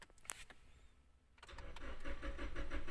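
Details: 2016 Toyota Hilux, 2TR engine: the starter cranks evenly at about three beats a second but it never starts. It logs startability code P1604 plus ignition coil primary/secondary codes; the fault was a bad injection relay.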